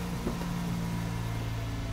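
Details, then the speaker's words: Mazda RX-8 rotary engine just after a one-day full rebuild at a rotary specialist, first start with smoke coming off; smooth steady idle at one pitch, no stumbles or knocks; normal idle. "listen to that that is lovely awesome"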